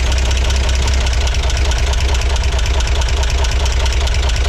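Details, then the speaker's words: 1963 Corvair engine at steady low idle with a dull rotational knock about twice a second; loosening and retightening a valve rocker made no difference, so owner now doubts the rockers and suspects the knock isn't from the valves. "I don't think that's it I didn't hear any difference there at all when it was totally loose versus when it was uh tightened back up I heard no difference so I don't know if I messed these two up or not or if that was even the problem cuz it sounds like it may not be coming from the valves after all"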